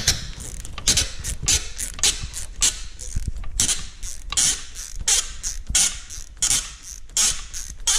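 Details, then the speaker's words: Nissan Murano/Maxima alternator removal, engine off: dry, uneven creaks about once a second as the belt tensioner arm is swung; sticking tensioner pivot suspected, WD-40 on the center pivot suggested. "Doesn't sound good. Putting some little bit of WD-40 right in the center should help that out."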